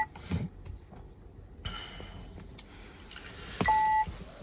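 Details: Peugeot 508 2.0 HDI (Delphi DCM6.2A) that won't crank or start and has no communication with the engine ECU. A single bright electronic dash warning chime sounds over quiet while the scan shows stored faults in the BSI, gearbox and parking modules.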